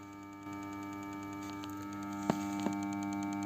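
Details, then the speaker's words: BMW E60 locked after a drive, ignition off, but not going to sleep: steady electrical hum with sharp clicks as solenoid valves stay powered; fault codes 29AF (terminal 15 signal) and 299D (intelligent battery sensor), cause found as a water-damaged IBS sensor draining the battery. "bueno pues después de darle el paseo lo hemos cerrado y lo hemos dejado como para que se echara a dormir pero sigue con insomnio el pobre sigue el fallo"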